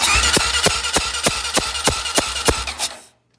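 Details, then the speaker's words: Honda 400ex single-cylinder engine cranking quickly with light, even puffs about three a second, never catching; very low compression, owner suspects a blown head gasket, possibly a warped head or loose head bolts. "probably hear that and that's the sound of a blown head gasket and very low compression"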